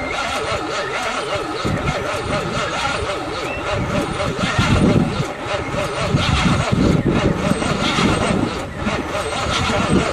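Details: 1978 Monte Carlo 305 V8 in a 1963 Allis-Chalmers loader, parked 5.5 years, running on squirted fuel: rough, uneven running that swells and sags with throttle; engine turns and is not seized as feared.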